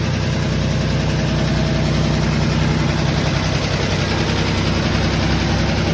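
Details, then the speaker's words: Fire-damaged 1951 Chevy six, running without radiator, carb leak stopped after tapping it: deep steady drone with even beat, no misses or knocks; running smooth and healthy. "So it's running awesome. The carb stopped leaking after I hit the side of it."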